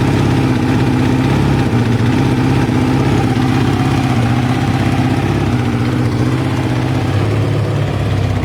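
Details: Kawasaki ZL600 V-twin after a project revival, new battery and pod air filters fitted, warming up on choke with smoke off the exhaust: steady, even low thrum, no knocks or misses. Idling smoothly.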